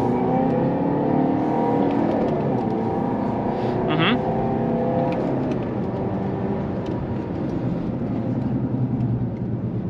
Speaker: Dacă schimb undeva între 2-3.000 parcă, o să-i simți forța. Acolo e ea. Da, se simte ca o mașină puternică.